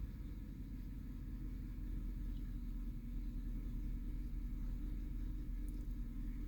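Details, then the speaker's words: 2009 Chevy Silverado 5.3L V8 under light acceleration, rumble lifting with an uneven beat as cylinder 2 drops out; truck shakes. Misfire on cylinder 2, traced by oscilloscope to a worn, burnt spark plug with a closed gap. "se siente que tiembla más el carro ahí está temblando está temblando un acelerón lo voy a soltar"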